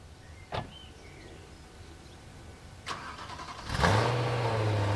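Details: BMW M3 E92 started after over 1.5 years parked on a CTEK MXS 25 charger, last driven November 2019; brief crank, catches quickly and settles into a smooth, even idle, starts and runs normally.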